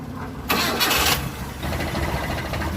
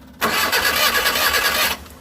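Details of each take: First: 2005 Mitsubishi T120SS that suddenly stalled and would not start, after ignition coil replacement: engine catches after a few seconds of cranking and settles into a steady, even run with a gentle regular pulse; starts and runs normally again. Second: Suzuki T120SS car broke down suddenly: steady starter whirr cranks about a second and a half, never fires; spark plug shows no spark; crank no start, no spark.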